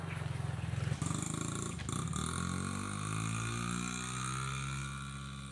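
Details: Honda XR50 small single, after repair (head gasket leak and air leak fixed), revs with a few throttle blips then settles into an even, steady buzz with no misfire or popping; exhaust silencer oil-filled, likely from sitting upside down; running fine.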